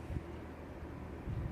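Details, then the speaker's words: Indoor AC unit vibrating more than the day before, louder on jet cool, quieting after running a while, owner suspects a loose bolt: low, rough droning rumble with uneven throbbing; blower vibration. "agak getar, lebih getar lagi daripada yang kemarin. Nah, ini ya. Apalagi kalau di jet cool nih. Wah, itu langsung kencang banget suaranya ya."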